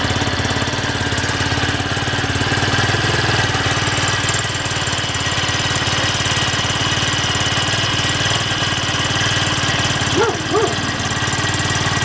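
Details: Minsk X250 motorcycle (ZiD YX 250 / Irbis TTR250 type, 166FMM single-cylinder, Chongqing Yinxiang-built), warm engine idling: an uneven tapping knock about three to four times a second over the exhaust beat, source unclear.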